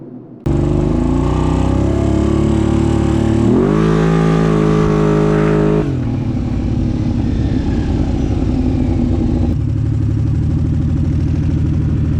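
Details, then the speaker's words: Kawasaki Brute Force with cheap eBay Caltric camshafts: revs climb strongly, then sag and fall away, power dying off; something unusual found on the cams at teardown when compared with the OEM cam. "this thing as you can see at the beginning of the video sounded like it had a lot of power and then it just died off"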